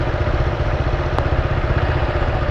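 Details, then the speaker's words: 2018 Honda Fan 160 single at idle with noise returned, different from the earlier tec-tec; a fast, light ticking clatter on the beat; excessive valve clearance. "e começou com barulho de novo só que aí já não é mais aquele tec tec é um barulho o barulho diferente"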